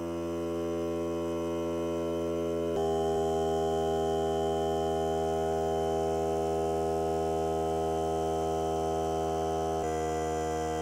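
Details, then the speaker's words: Hart cordless battery air compressor filling the tank: steady motor hum at constant pitch, no knocking or straining; three minutes to fill, cut-out at 120 psi; normal operation. "Okay, she shut off. And that was right now. Took three minutes to fill. And she shut off at, it kicked out at 120."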